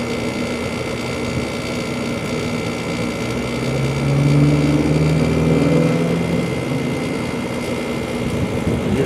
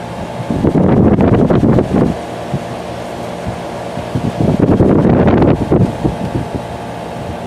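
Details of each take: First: 2-ton through-wall General Electric garage AC, believed from 2002, first startup of 2020 on a warm day: compressor kicks on with a rising hum and loose fast rattle about four per second that fades; typical for this unit. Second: Steady, even fan hum with a few louder rushes of air from a 2-ton through-the-wall General Electric garage A/C (believed 2002), duct tape on vent slats to stop rattling; no loose rattle, normal fan operation.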